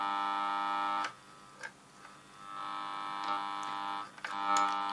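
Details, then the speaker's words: Kriesler 11-20 valve radio, volume right down, tuning gang at the low end of the band: steady buzzy hum with a ladder of tones that drops out and returns; mains hum picked up through the aerial, with the volume pot suspected. "there is come on and if I take off my aerial I'll lose that interference"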